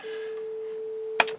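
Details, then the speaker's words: Harman Kardon 900+ quadraphonic multichannel receiver in four-channel mode on auxiliary one, steady test tone: right channel thin, low volume with a buzzy distorted edge, ending in a click; weak distorted channel output. "the right is working but it's got low volume and"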